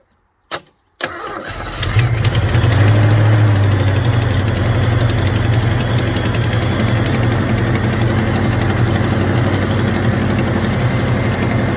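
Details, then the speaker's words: Supercharged 1991 Ford Mustang 5.0 302 with methanol kit disconnected: starts, then lumpy idle with an uneven pulse about three per second and a puffing note; suspected misfire plus exhaust leak, not confirmed. "this sounds like a a misfire at an exhaust leak God so honestly man it sounds like a misfire in an exhaust leak you might not have much wrong with it"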